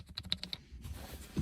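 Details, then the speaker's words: 2006 Acura TL rear deck bass rattle: quick light plastic clicks, about ten a second, as the loose third brake light clip is shaken by hand; the clip has much play, later packed with foam. "that noise is coming from this clip look how loose this thing is how come i didn't find this out before holy cow look at the play on that thing"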